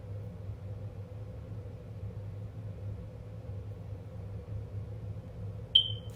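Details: Smoke detector in a quiet room: steady room hum, then one short, high chirp near the end, signalling the battery is low and needs changing.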